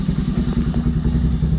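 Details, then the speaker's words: Honda Grom first start after a DHM tune and Koso intake mod with a larger intake tube: steady, even low thumping with a regular beat and no stumble or clatter; idling well, normal idle. "All right, so everything looks pretty good, idling well."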